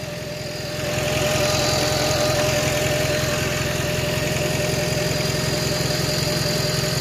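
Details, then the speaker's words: Honda just fitted with a new radiator, jump-started; steady, even idle with soft regular pulse, no misses or stumbles, not idling rough; owner still watching for an unexplained smoking problem; smooth idle. "and it's not idling rough either just need to make sure it doesn't smoke anything listen to that purr"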